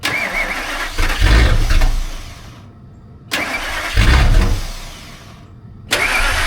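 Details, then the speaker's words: Ford V10 (1999–2004 generation), cold start at 18°F: repeated cranking and ragged firing that fades before catching again. A hard, long cold start, likened to a diesel without glow plugs; cause unclear. "That is a pissed-off V10. I don't know why that thing cold starts like a damn diesel with no glow plugs."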